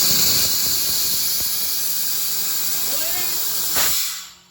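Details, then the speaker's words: 70-year-old 4104 bus air brakes aired up and tested after freeing the brake treadle pedal: loud steady hiss of escaping air cutting off sharply; blown brake chamber diaphragm, all four diaphragms and hoses to be replaced. "We definitely have a blown out brake diaphragm on there."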